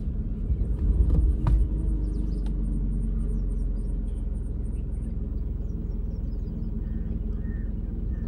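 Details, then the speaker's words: 6-year-old 2018 Tata Nexon XM, engine just started with windows open, heard from inside the cabin: steady low even idle rumble, no knocks or ticking; normal idle. "ह्या साईडची window पण open करतो, गाडी start करतो आणि इंजिनचा आवाज आहे का, ही गाडी स्टार्ट झालेली आहे."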